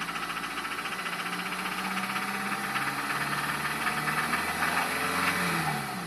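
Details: 2002 Acura RSX Type S, K20A2 engine at idle: rapid uneven knocking, roughly three to four a second, over the idle; clear engine knock.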